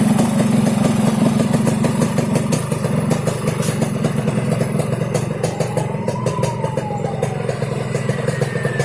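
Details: Yamaha RX King two-stroke idling with an uneven, rough snoring rattle of loose ticks, about three per second, over the exhaust burble; snoring engine noise, carburetor noted slightly wet, cause not pinned down.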